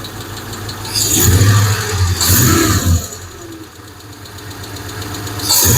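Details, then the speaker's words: Hemi engine: rough idle and revs carry a clanking tick that speeds up with engine speed; owner suspects a noisy lifter, heard on both sides, unconfirmed. "Huh. Yeah, there's definitely one in there. You can hear that one. Sounds like it's on this side too."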